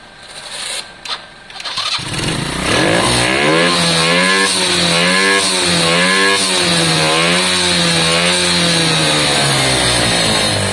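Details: Lexmoto Valiant 125 motorcycle converted from EFI to carburettor, carb not yet set up, wrong jet fitted: starts and revs repeatedly, each blip slow and wavering back to idle; revs hanging.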